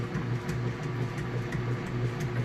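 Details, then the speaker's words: Kenmore top-load washer on a heavy duty cycle, full submersion with a heavy load of jeans: low rhythmic sloshing churn under a steady motor hum, even strokes with no knocking or grinding; normal agitation. "right now I've got the washer setup going on a heavy duty cycle full submersion on the clothes they're pretty heavy jeans and to load it's working on you can hear it agitated"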